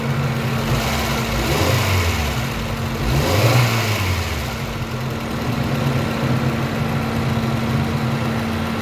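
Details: Pride car engine just rebuilt, first start after reassembly; steady even idle with two clean rev blips rising and settling smoothly, no knocks or ticks: normal running.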